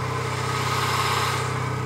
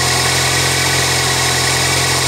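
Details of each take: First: 1999 Toyota Corolla 1.8, engine still cold, slow idle in gear: soft regular knock over the engine beat that stops when the wheels are turned; power steering pump pulley knock. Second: 1999 Toyota Corolla 1.8 just started after the power steering pump pulley repair: steady, even idle hum, smooth beat, no whine or squeal from the belt-driven accessories; idling normally.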